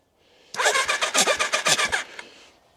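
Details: 1999 Kawasaki ZRX1100 after sitting twelve years, cranked on jumper cables with spark plugs out, carbs off: quick even whirring pulses about eight per second for 1.5 seconds, spinning freely; normal starter cranking.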